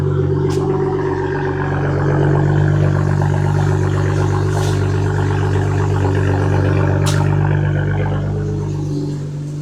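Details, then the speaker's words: BMW 335i first start after engine work (new rod bearings, timing chain, oil chain, valve cover gasket, relubed cams): smooth, steady idle with an even low drone and no ticking, much better than the heavy ticking before; it may misfire above 3,000 rpm. "she sounds good. A lot better than when I brought it in because it was ticking like crazy."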